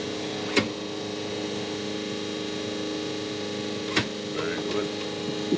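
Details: Schenker Zen100 watermaker running entirely on solar and lithium batteries during its first test: a steady electric pump hum with a few handling clicks while it produces water at about 224–225 ppm dissolved solids; normal running.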